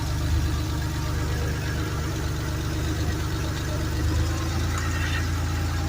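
A low, even warm idle that settles and holds a steady speed with no hunting or hiss; the idle is back to normal.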